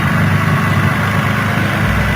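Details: 2004 Infiniti G35X V6 idling steadily and evenly with no stumble after spark plug/coil wires for cylinders 4 and 6 were replaced to fix P0300 misfire.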